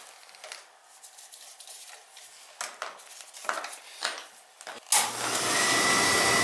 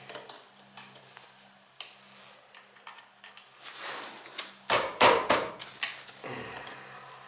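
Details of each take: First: Beckett oil burner that kept tripping its reset button, after service with new nozzle, pump coupling and boiler brushed down: after some clatter, a steady, even roar lights and holds with little rollout. Firing normally. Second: Beckett oil burner tripping its reset button every day or so: steady low burner hum with irregular light metallic clinks and rattles; a part near the air shutter suspected of affecting air intake; metallic rattle in oil burner.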